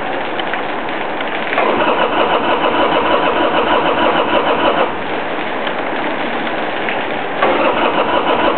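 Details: 1999 Harley-Davidson Sportster XL hard to start after sitting unused for a couple of months: repeated bursts of rhythmic starter churning, about three per second, stopping and restarting without the engine catching.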